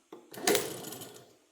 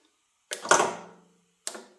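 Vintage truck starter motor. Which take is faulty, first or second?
second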